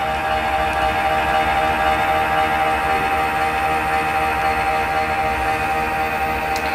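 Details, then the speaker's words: 6–7-year-old PC with Corsair VS650 650W active-PFC power supply: steady whirring with a faint cyclic drone about twice a second and a constant tone, like a worn fan bearing; owner ruled out CPU and video card, suspects the power supply. "it's not from processor, it's not from the video card, and I suppose that noise is coming from the power supply."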